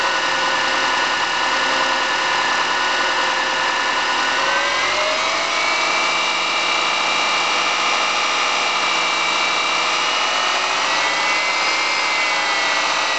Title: MY05 EJ25 NA Piston Slap